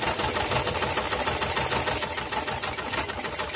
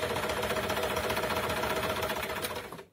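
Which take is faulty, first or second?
first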